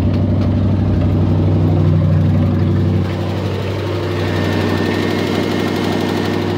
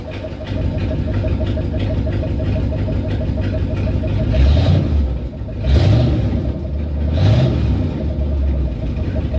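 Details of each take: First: 360 5.9 V8 idling rough and really high: fast, uneven beat stumbling and surging; vacuum leak at the PCV valve, being fixed with a tee adapter and line, capping off the port. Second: After repair of a 360 (5.9 L) V8 that had idled rough and very high: a PCV vacuum leak was fixed with a tee adapter, a capped port and the return hose reattached. Deep, smooth idle with light blips, no hiss or hunting.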